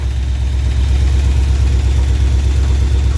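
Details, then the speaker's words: 1968 Dodge W200 Power Wagon, big block 383 V8, after adding a quart of oil; rough lumpy idle with low uneven thumping about three beats a second that comes and goes; possible internal knock, owners fear engine near failure. "kind of scary though yeah coming and going [Music] okay I think she might be knocking on heaven's door regardless doesn't sound bad though"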